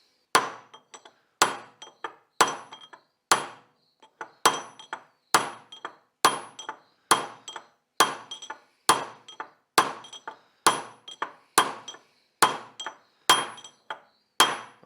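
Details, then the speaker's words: Hammer-driving a wheel bearing race with punch and ball-peen hammer: sharp ringing taps about once a second, tone changing near the bottom, indicating the race is fully seated. "right there now you want to make sure you hear that sound and that you hit it all the way around and make sure it's completely seated"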